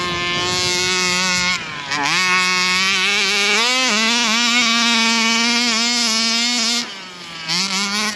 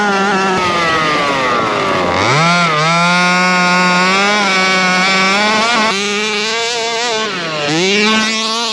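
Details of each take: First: Rovan Baja 5B RC car two-stroke engine at full throttle on a bash run; screams but pitch plateaus and stops climbing, flat on the top end; carburetor adjustment suspected needed; later stalled. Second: Rovan Baja 5B RC two-stroke, fresh fuel, carburettor needles back at factory (1 1/4 and 1 1/2) after earlier refusal to start: crisp buzz blips up and settles cleanly, pitch tracking throttle without stumbling; running healthy.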